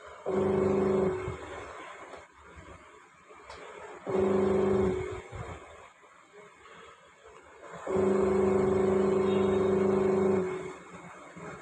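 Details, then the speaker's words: Panasonic Active Foam 8 kg washing machine, gearbox replaced about 10 days earlier: motor hum with raised whirring tone in repeated run bursts. Noise persists after gearbox swap; motor also faulty. "Motor में भी आवाज़ है। आवाज़ आ रहा है, motor का आवाज़ आ रहा है। गियर बॉक्स तो हमने रिप्लेस कर दिया है, इसमें मोटर भी ख़राब है।"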